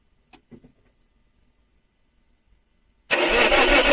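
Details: Alfa Romeo 159: quiet, then steady starter cranking that never catches or picks up speed; engine turns over but won't start.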